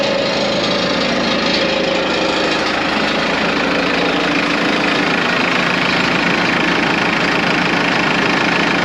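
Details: Morbark 2400XL track chipper's 4BT diesel idling with the hydraulics not yet working: a loud, steady idle with an even clatter held constant throughout; it runs smooth and healthy.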